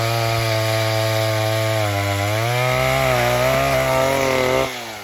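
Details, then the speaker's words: 1960s Stihl 08S two-stroke chainsaw, about 60 cc, cutting firewood after over-rich high jet was eased back: strong clean tone dips only slightly in the cut and recovers smoothly; set really good, normal running under load. "So I eased it off. I think it's set really good now."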